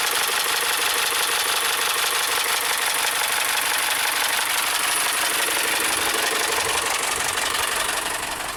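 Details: 2012 VW Tiguan GDI turbo that stalled with suspected low oil pressure, still 2 quarts low after oil added: loud, fast, regular deep knocking over idle, about three raps a second; massive rod knock, engine judged finished.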